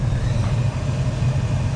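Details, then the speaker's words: Car cabin A/C blower motor behind lower glovebox, reinstalled; steady low hum, no rattle or grinding, much quieter with less vibration, major improvement. "vibration is not as bad you could definitely hear the difference major improvement"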